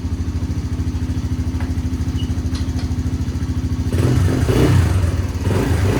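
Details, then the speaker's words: Polaris Outlaw 90 ATV (2007–08), revived on a jump box with a dead battery: small single-cylinder putters evenly at idle, then revs cleanly with no misses or knocks; running, drives forward and reverse. "All right. So, there we go. It's running. It revs up. It drives, goes in forwards and reverse."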